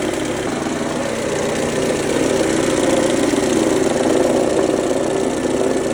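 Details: 2003 Mercedes-Benz A140 (W168), 196,000 km, sudden engine noise: steady idle with a light, irregular ticking knock from the front of the engine; owner suspects timing chain or chain tensioner, unconfirmed.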